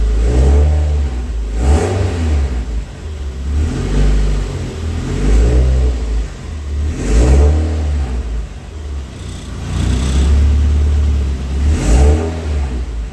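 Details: Freshly assembled 5SGTE Beams engine in a Toyota Celica GT-Four ST185 rally car on first start-up: repeated smooth blips about every two seconds with clean throttle response and no knocking or rattles. Oil pressure is healthy and the engine sounds healthy.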